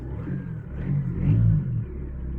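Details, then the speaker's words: Stick-shift turbo car after cutting out the broken exhaust section and fitting new pipe, now exiting at the back: deep smooth rumble swelling with a brief rev and settling, no hiss, ticking or rattle; repaired exhaust sounds normal. "Oh yeah, it's a lot better. Obviously you can still hear it, but the exhaust goes out the back instead of being cut off right behind the driver's seat underneath where all the droning is."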